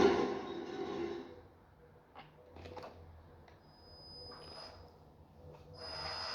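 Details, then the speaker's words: Toy tank's small gearbox: rough, raspy grinding and squeaking bursts over a thin high whine; grease only partly quietened it; the gears meshed too loosely, fixed by loosening two screws and repositioning the motor. "Hey everyone, Happy Dude here, and I was doing some maintenance on my tire tank and I noticed that the gears of the engine were squeaking very loudly."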